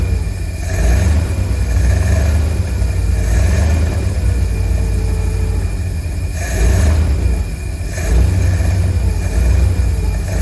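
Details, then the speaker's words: 1952 Cadillac Series 62 V8 running after a full carburetor rebuild, no adjustments yet: deep, steady, even rumble with no misses or knocks; it backfired a couple of times, which the owner suspects is timing. "That sounds pretty good to me. I mean, I don't even know if I have the stuff adjusted right. Seems to be running pretty good."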